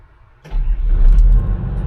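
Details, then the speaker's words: Hitachi EX200LC-5 excavator diesel, about 25 years old with nearly 6,000 hours: starter catches and the engine settles straight into a low, smooth, even rumble with no knocks; very quiet, normal start and idle. "This thing is just super quiet."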